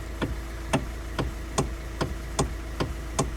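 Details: Kia/Hyundai with codes C1260 and C1259, EPS light on: sharp knocks about every 0.8 s over idle hum from the electric power steering column; destroyed rubber damper bushing inside the assist unit, fixed by replacing it and calibrating the steering angle sensor.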